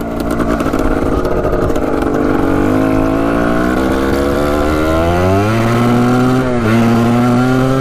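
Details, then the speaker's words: 1985 Yamaha Tri-Z 250 two-stroke three-wheeler, new spark plug, small exhaust leak, main jet suspected too big, smoky: revs climb slowly and unevenly through the gears, blubbering before pulling clean; slow to clear out, possibly running rich. "Pretty smoky out here. Might be running a tad rich. Alright. Sounds pretty good now. Having a hard time clearing it out, sounds like."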